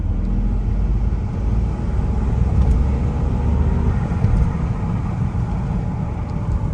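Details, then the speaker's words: Rebuilt Volvo S40 T5 on its first start and drive after sitting: a steady, smooth low engine rumble with a faint turbo whistle on top; the brakes were slightly seized but the engine runs normally and checks out fine. "other than that it's running good um yeah there's not really much more I can say everything's checking out fine right now"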